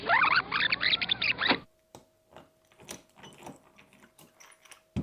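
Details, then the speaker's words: Vitavon transmission in 30° North, pinion shimmed: brief spin-up with gritty raspy rub over rising whine when differential pushed one way; gear mesh too tight, differential needs shimming. "Si le le dif est poussé comme ça, ça va. Si je pousse le div comme ça, ça frotte. Le bruit est tout de suite moins bien."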